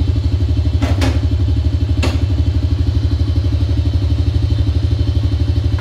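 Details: Honda Dream motorcycle after fixing a no-start by adjusting the carburetor air and mixture screws and cleaning the spark plug: even, steady single-cylinder thump with clean, evenly spaced beats. Normal idle.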